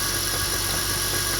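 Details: 2002 BMW 325i petrol engine at idle: steady low growl under a strong hiss from the engine bay, persisting with AC on and fading when revved or driving; owner found low power steering fluid and suspects it.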